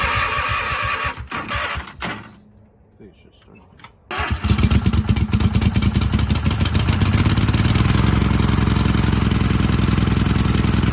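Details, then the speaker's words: Craftsman hydrostatic garden tractor, Kohler V-twin sat about a year, new plugs: cranks a few seconds, catches, then settles into a lumpy, slightly uneven chug; running rich with the choke stuck half on, hurting power. "right, it's like stuck on half choke, but we're gonna attempt to drive this."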